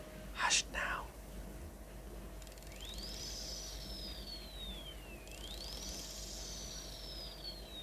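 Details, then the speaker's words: Orient Power Reserve calibre 46N45 watch movement during service: faint high whirr sweeps up then slowly coasts down, twice, as the train wheels spin freely; healthy gear train. "can you hear that swoosh sound from the train wheels"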